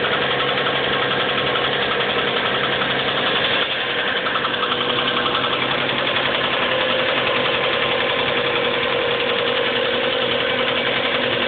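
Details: 1997 Subaru Legacy Outback flat-four petrol idling cold with a steady knock, about three or four beats a second; began in winter, louder over time, goes after about 20 minutes of warm-up, returns briefly at idle.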